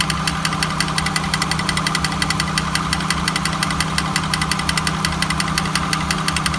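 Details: 1999 Honda Accord at idle with a repeating harsh rasp and tick roughly twice a second, a gritty mechanical grinding over the engine hum; cause unknown.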